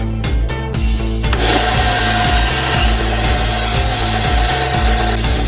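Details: Ryobi bandsaw after fitting a new Powertek blade, test cut on a small nail-free piece of wood: steady motor hum, then an even rasp through the wood, no chatter or knocking; cuts cleanly.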